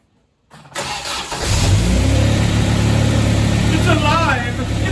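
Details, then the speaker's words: 1974 MGB first start after 12+ years unassembled, new header, distributor untimed, choke pulled out: cranks, catches and settles into an uneven, lumpy idle with a wavering beat; rough running from untimed ignition and unadjusted carburettors. "it's not running all that smooth but it's running trust me new header"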